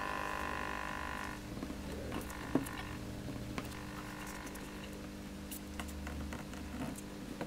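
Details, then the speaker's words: Orange Crush Bass 50 amp, after its volume control fault was fixed: strong mains-frequency mechanical buzz from a loose vibrating transformer, loud at first, then softer under handling clicks as it is tightened. "still hear it buzzing but it might be okay once we've tightened this"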